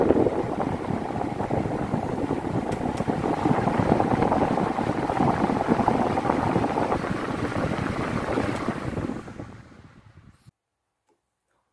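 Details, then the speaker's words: Britânia fan after its bushings were replaced with rubber-sealed bearings centred and fixed with Durepox: soft steady rush of air with no rattle or grinding, then a quiet spin-down, normal operation after repair. "vocês viram levinho de toda ficou bem silencioso pessoal"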